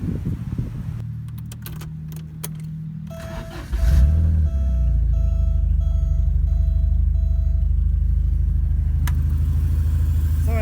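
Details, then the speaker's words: 1987 Porsche 924S after fixing an overlooked leftover intake gasket: starter grinds briefly, then the engine fires right up and settles into a steady, even idle with a smooth low rumble; normal running. "you can see it fires right up all right now it's running"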